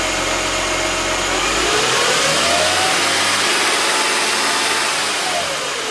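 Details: 2006 Mercedes E350 4matic M272 V6 after spark plug, coil, air filter and airbox seal maintenance: catches, runs steadily, then revs smoothly rising in pitch with no misfire or knock; normal start and rev.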